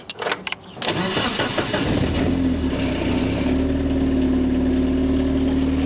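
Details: First start with fuel pump primed and ignition coils plugged in: brief crank, clean catch, settles to a steady even idle with faint constant tone; later brought to full operating temperature with nothing going wrong.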